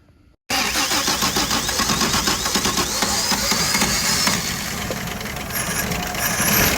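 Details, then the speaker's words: 1951 Chevrolet 3100 pickup on its first start in decades, with fresh oil, gas in the carburetor and starting fluid: it cranks, catches and runs unevenly, surging and stumbling, starved of fuel because the wrong fuel pump was fitted. "All right, the fuel pump I had was the wrong fuel pump."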